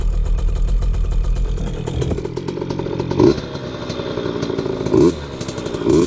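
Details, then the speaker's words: 2003 KTM 50 Mini Adventure 50cc two-stroke after fresh BR8 spark plug, choke off, test ride: three sharp throttle blips rise and fall cleanly with no bog; revs out crisply, power band kicks in, healthy. "That's pretty good throttle response so far. Woo! Yeah, you can definitely tell when that power band kicks in. Yeah, it revs out pretty clean, actually."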